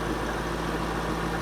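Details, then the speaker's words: Auction V8 idling briefly: low, steady even idle with no knocks or misses; engine nice and quiet, radiator holding, runs okay; normal idle. "okay and the engine is nice and quiet don't want to let it run too long"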